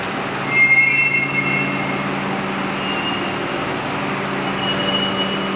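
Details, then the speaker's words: Vehicle with aftermarket drum brake shoes, repeated attempts to quiet them: a sharp, high squeal for about a second over road rumble, then fading; owner blames the drums, later suspects the front rotors, not confirmed; brake squeal. "that that's the sound of these drum brakes I replaced the drum brakes or the shoes rather uh some time ago and I used aftermarket parts I have since made several attempts to try to keep those shoes quiet"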